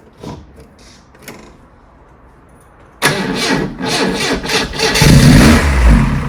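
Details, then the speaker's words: Lotus Elite after ten years laid up in a barn, sprayed with easy start: quiet, then catches and runs roughly a second or so on the fumes alone; fuel pump probably seized, to be freed on the bench. "As you've heard there, with a little bit of easy start, it was a goer. But it was just running off the fumes of that. Once it starts pumping fuel through, it'll run beautifully."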